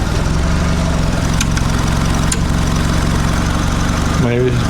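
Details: Mitsubishi Lancer CE two-door coupe, first start after reassembly and battery reconnection: low idle with an uneven, lumpy beat that never smooths out, seeming rougher than before. Rough idle.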